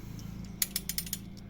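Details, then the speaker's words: New Honda Stylo scooter, under 300 km, when throttled at about 20–40 km/h: quick light metallic rattles over a low engine hum from the center stand, whose loose ring lets it vibrate; fixed with a rubber spacer. "Ah ini penyakitnya ada di standar standar tengah ini ada ring ring ini kurang kurang apa ya kurang mengganjal kurang singset bahasa Jawanya ini eah saat saat motor digas ini akan bergetar"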